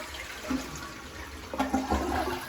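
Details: Toilet flushing normally after the tank's internal plumbing and flapper were replaced to stop it running: quick rush of water and a few light clunks, no leaks.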